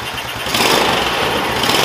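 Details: Yerf-Dog Spiderbox go-kart with a new GY6 150cc carburetor after rebuild, in cold weather: small single engages and settles into a clean, even buzz with no misses or stumbling; the engine runs healthy.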